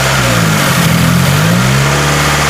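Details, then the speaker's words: 2017 Subaru Forester XT held at 2,000 rpm during CRC intake valve cleaner spray, done before fitting an air oil separator: wavering, uneven drone as the engine bogs with spray going in, which is normal. "now you might hear the engine kind of bottlers after that's totally normal"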